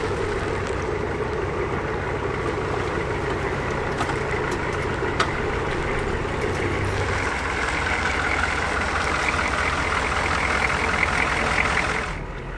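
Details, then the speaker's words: Revived 1981 Buick Century 350 diesel being driven: smooth, even, steady clatter under cab and road noise with no misses or knocks; it runs really well, though the transmission kickdown doesn't work: normal diesel running. "Yeah, it rides like a dream. It runs really, really good."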